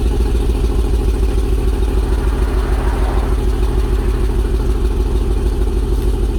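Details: LS 5.3 V8 truck at 30° cold start with new exhaust, shorty headers to a Y-pipe; deep, even burble holding a steady idle with regular exhaust pulse, no ticks or knocks – normal idle.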